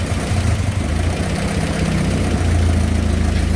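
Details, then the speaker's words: 1966 Kaiser Jeep CJ5 farm-auction truck at idle during distributor and points work, dwell reading 25 and slightly off; low, lumpy, irregular idle with small surges as the points bounce rapidly, though closer to proper dwell it runs a little better. "That means the points are going crazy right now. You should put it back. Oh no. Actually, Oh, it's vibrating so quickly. it's actually, though, it's closer to where the dwell ought to be, so it's running a little better."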